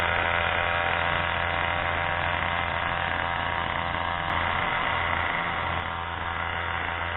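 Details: Craftsman/MTD 2014 25cc two-stroke curved-shaft trimmer after a new Walbro carburetor and mounting gasket were fitted, started on full choke after priming ten times; steady, buzzy drone at even pitch, no surging or dropouts; runs solid.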